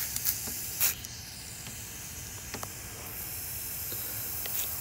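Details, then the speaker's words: 2015 Dodge Durango Limited, pressurized cooling system: steady thin high-pitched hiss with sharp spritzes, soapy water bubbling at the leak; cracked, blown radiator. "as you could see bubbles forming I don't know if the camera's picking it up but you hear that hissing so that was a that was a pretty good one guys"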